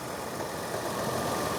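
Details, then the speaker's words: 2001 Nissan Pathfinder LE, VQ 3.5L V6, heard with the hood open: smooth, even idle hum with no knocks, ticks or misses. Idling happily, healthy. "Idling very happily. There's our tried and true V6."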